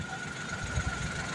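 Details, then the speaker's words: Car engine after repair and oil pump replacement (fake "original" oil pump bought online blamed), radiator water refilled: short steady, even low idle hum with no knocks or ticks; oil light off, oil pump normal, running smooth. "Oke k Rayan dulu oke kali ini udah selesai mobil hidup halus pumpa oli juga udah normal"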